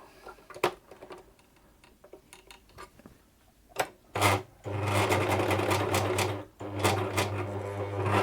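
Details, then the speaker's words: Near-new ex-demonstration Bernette 610D serger/overlocker before cleaning and lubrication service, sewing two layers of muslin: bursts of stitching with loud clattery rattle over motor hum; rattling noise, owner wonders about thread tension or loose presser foot. "It does sound quite noisy, doesn't it? Sort of rattly somehow."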